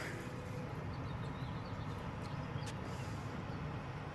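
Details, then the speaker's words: Tankless gas water heater after flushing and service: after the burner shuts off, a steady low fan rush with no rattles or scraping as the unit ramps down and purges exhaust; normal post-burn purge, unit in good shape. "this thing what it does it ramps down all the little sensors in here take place you know it goes ahead and ramps the unit down gets the exhaust out of the unit and shuts it off so it's in good shape"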